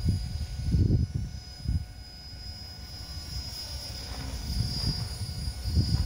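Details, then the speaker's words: Helicopter: a steady high-pitched whine from the motor and transmission over a gusty low rumble, while the rotor itself stays nearly silent. Normal motor and transmission whine. "here's the helicopter here the situation reverses somehow the rotor is basically silent but the transmission and the motor is"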